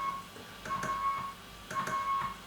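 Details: Old-school CW transmitter after a resistor change: steady clean tone near 1 kHz keyed in short bursts, no pitch slide, no signal when key is up; clean keying.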